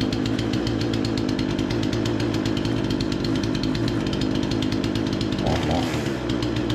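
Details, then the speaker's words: Remington 46cc chainsaw, low-speed screw turned about an eighth clockwise to lean a suspected rich mixture: steady crisp two-stroke rattle at even speed, no surging or bogging; seems dialed in; normal running. "I think we've got that pretty well dialed in but we'll be able to tell once we make a few cuts and everything as well"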